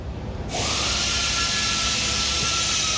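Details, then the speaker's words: 2020 Ford 6.7 Powerstroke cab chassis, low power with check engine/wrench lights: turbo VGT actuator motor gives steady high whine over loud hiss while vanes won't move; vane mechanism seized. "it definitely seems like something is froze up in here"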